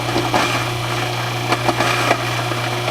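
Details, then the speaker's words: Newly installed InSinkErator Evolution Select Plus garbage disposal, replacing a cracked, leaking unit, grinds food pieces with a steady low motor hum and occasional knocks, no grinding or rattle, slightly quieter than the old one; running normally. "Overall, I would say it works a bit quieter than the older one, and I'm pretty happy."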